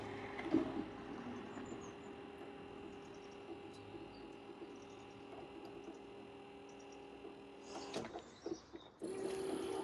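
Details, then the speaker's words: Imported JDM 90s Corvette C5 convertible, headlight motor plugged in after repair: a faint, steady mid-pitched motor whine that never cuts off at the end position; owner suspects a failed internal cog let it keep spinning, causing high current; unconfirmed. "but why why is that one not stopping is it does it have a limit switch or anything like I bet that's got the um I bet I know what happened the Cog in there failed yeah and it carried on spinning and the resistance caused High ampage yeah High current"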